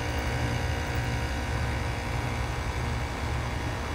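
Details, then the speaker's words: Outdoor heat pump condenser after part replacement, thermostat set to call for heat, previously no compressor hum: even, steady low drone with fan rush on top, no clicking or stalling; compressor and fan running normally. "the compressor was not humming some heat so what it'll do is take the cold air out of the house and take the heat from out here and put it in the house so yeah compressor running good we'll have heat tonight"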